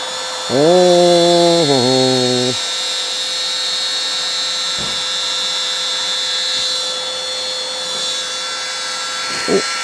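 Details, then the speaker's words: Old wet vac mopping up water in the workshop: a short rising whir, then a steady high howl that holds constant; the motor is tired and slow but still pulling. Vacuum motor howl. "Howling motor push wet vac to the rescue. Come on. Slow, but it's working."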